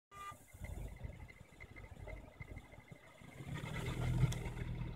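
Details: Honda Civic Si engine bay: thin, high chirping squeak/whine pulsing steadily over low engine rumble, belt or pulley-type, mainly when car or weather is cold; cause unknown.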